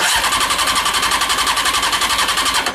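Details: Honda CBR600 engine in a home-built reverse trike, after fiddling with dodgy wiring: rapid, even ticking buzz about nine pulses a second, steady before cutting off; electric fuel pump running normally.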